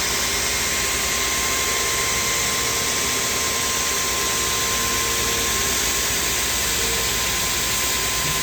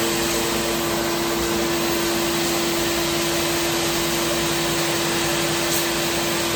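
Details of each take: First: Two-head wide belt grinder (P120 then P180) finishing the flanges of a 14-foot aluminum beam: a steady, even hiss of belts on metal with a constant high tone and no surging or chatter; normal grinding run. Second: Wide belt grinder finishing the flanges of a 14-foot, roughly 6-inch aluminum beam, run very slowly to keep heat out of the part: a constant mid-pitched hum under a steady sanding hiss with no load change.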